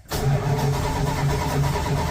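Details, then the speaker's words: 1985 Dodge D150 pickup in a cold hard start before work, phone on the passenger armrest; a steady starter drone with rhythmic compression pulsing cranks on and on without catching, with no start and the cause not identified. "Son of a [ __ ] Truck won't start. Come on, baby. Come on. Come on. Son of a [ __ ] won't start."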